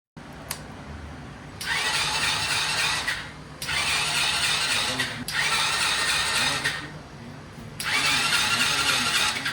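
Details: Vento motorcycle that won't start, battery serviced: four steady starter bursts, engine spinning evenly but never firing.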